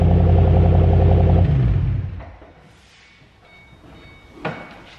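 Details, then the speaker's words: 2007 Ford Shelby GT500 V8 after an oil change, gearbox oil change and Centerforce twin-disc competition clutch install: deep, lumpy burble holds even briefly, then the engine shuts off cleanly; normal running. "Donc voilà, j'espère que le bruit t'a plu. J'appelle ça un bruit, on disait un son quand c'est quand c'est une voiture comme ça, on dit un son, mais moi je dis que ça fait du bruit."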